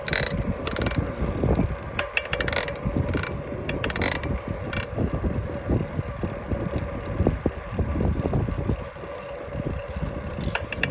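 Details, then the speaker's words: Specialized Sirrus X4.0 bicycle, pedaling: dry ratcheting clicks and grinding in uneven bursts each pedal stroke; shop suggested pedal, then chain (replacement coming); owner suspects the crank, cause unconfirmed. "Got a chain coming tomorrow. I don't think it's a chain, I think it's a crank."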